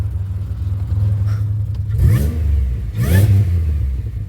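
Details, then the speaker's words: 2007 Grand Prix after swapping back to 42.5 lb Lucas injectors, previously running rich with fuel in the oil: steady low idle with two quick throttle blips rising and settling cleanly, no stumble; runs much smoother. "So good progress, good progress. It really sounds like she runs so much better now."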